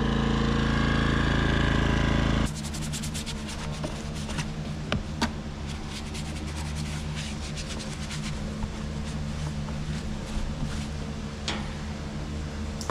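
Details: Westinghouse iGen 2500 inverter generator, which previously would not start and then surged at idle, after repair. Started on choke, it settles into an even, steady beat with no misses or surging; runs clean and healthy.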